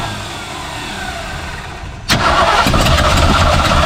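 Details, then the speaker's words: 1964 Ford 289 V8 in a 1962 Mercury Meteor, after a new cap, plug wires, rotor, condenser and points: it cranks quietly for two seconds, catches with a burst, then runs lumpy and uneven. Owner concludes ignition timing is wrong. "this is definitely a timing problem it's got to be a timing problem sounds like a timing problem"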